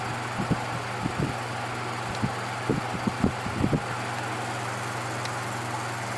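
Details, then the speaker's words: Patton U2-1272 fan with newly fitted replacement motor drawing about 0.66 A on low, stepping up to medium and high: steady hum with irregular light rattles and taps from loose, wrong-size used motor mounting nuts letting the motor vibrate. "there's a little bit of vibration because i still have to get the proper nuts for the motor those are kind of used"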